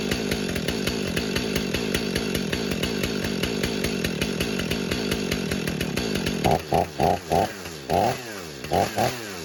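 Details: Stihl MS500i chainsaw just after a cold start in snowy weather, unheated garage: steady, even two-stroke buzz, then several sharp throttle blips rising and falling cleanly; running normally.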